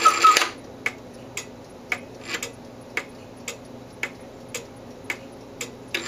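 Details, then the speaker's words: Antique cuckoo clock after repair of erratic beat (bushing work, escape wheel repair, crutch wire adjusted): viewed from the back, clean evenly spaced ticks about every half second, steady quiet background; in beat and running properly. "here we are at the back of the clock you can see everything is back together and functioning like it should"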